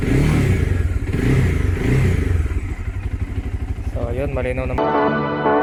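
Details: Bajaj Dominar 400 after fixing a vibration/buzzing sound around the headlight cover area. A steady, even engine pulse at about three beats per second with no buzz or rattle from the front; it sounds clean.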